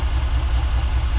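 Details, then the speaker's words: 1994 Chevy Caprice, a crank-no-start fixed by a new fuel filter and octane booster in 20-year-old gas, running off jumper cables with the alternator out: low, even idle with no misses, knocks or ticks. "good running engine the alternator is out so it's running off the jumper cables so um"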